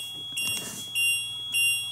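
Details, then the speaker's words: Automatic hydraulic leveling system: ignition on, jacks down, parking brake released; lights flash and the panel buzzes and beeps rapidly, as happens over a bump or dip. Leveling jacks-down warning alarm. "you will see all these lights flashing and then you hear the the buzzing the beeping it's just going to go crazy like that that's what will happen when you hit a bump or a dip"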